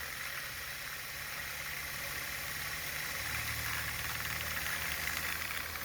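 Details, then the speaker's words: 3D-printed pulse motor, new design, at 11 volts (was no output at 4 volts): fast steady hiss and whir with low hum rising as it speeds up, spinning freely with a lot of output and slight vibration; normal high-speed running. "There's 11 volts. Yeah, it's flying now. A lot of output."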